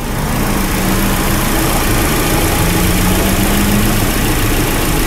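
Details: 2004 Hyundai Elantra 2.0L after timing belt, water pump and oil pump job (suspected crank seal oil leak): engine started, burping coolant, no leaks, holds a steady smooth idle with even low rumble, no ticking or knocking; sounds healthy.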